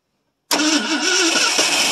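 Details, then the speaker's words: 1970 Ford F100 Ranger XLT 390 FE V8, first start in about three to four years. Fuel is poured into the carb and the starter is jumped at the solenoid. Loud cranking with wavering pitch as it coughs and tries to catch but never settles. "hope sounds like she wants to run fill the bow up and see what happens over all right here we go again key on yep"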